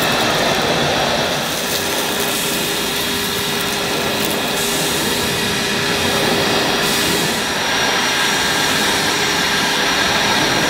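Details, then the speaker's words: Numatic NBV240 cordless vacuum with aero brush on plush thick carpet: steady high motor whine over a dragging uneven rush as the brush struggles to spin even after dirt is picked up; brush roll bogging. "Well, the NBV picked everything up, although the aero brush did struggle on my plush carpet, especially when it was picking up all the dirt. Even when most of the dirt was gone, the brush was still struggling to spin."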